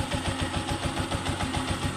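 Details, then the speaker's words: Honda TMX 125 engine after a bearing upgrade (the original needle bearing had crumbled and seized); quick, even thumping idle, no knocks or rattles; bottom end quiet and healthy. "quality tahimik na tahimik ang makina parang Wang nangyari"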